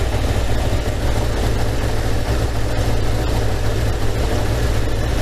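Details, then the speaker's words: 1987 Kawasaki GPZ600R (ZX600A) after rebuild, idling fast around 2000 rpm during vacuum synchronisation: slightly lumpy, uneven pulse between cylinders. Carbs out of balance, cylinder 3 strong and cylinder 4 weak; adjustment screw being turned. "see my cylinder 3 is running a bit strong four is a bit weak so I want to adjust these by turning the adjustment screw towards cylinder four"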